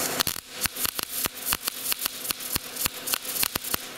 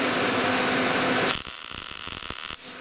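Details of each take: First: Gas-shielded short-circuit MIG welding, wire speed set against the chosen voltage, torch held slightly farther than normal; irregular sharp pops and crackles with gaps instead of steady sizzle: MIG wire speed too slow. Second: Gas-shielded short-circuit MIG welding with wire speed matched to voltage; after a hiss, a steady even frying crackle for about a second, no pops or stutter: normal MIG welding arc, wire speed set correctly.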